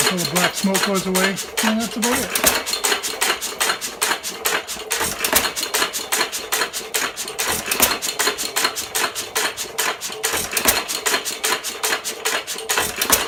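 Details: 1917 Fuller and Johnson N hit-and-miss stationary engine, first run in ten months after priming: sharp, fairly steady ticks at about two and a half per second with a crisp igniter snap, normal running.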